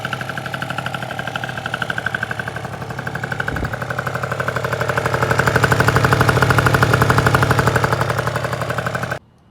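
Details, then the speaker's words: 70cc Polini Corsa two-stroke on a Vento Triton R4, rebuilt after six months broken down, first heat cycle. About four minutes after start, around 94 degrees, no revving. Steady, even popping with no misses or rattles: healthy normal idle. "here she goes damn I've missed that sound so much so much this is only about four minutes after running around 94 degrees that's a good sound"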